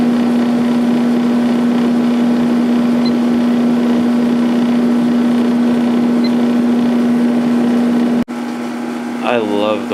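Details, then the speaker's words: 1997 Sharp 8500 BTU window air conditioner on high fan speed; steady even hum from fan and compressor, no rattles or surges; fan motor and pressure sound good, normal running. "Fan motor sounds good. Pressure sounds good."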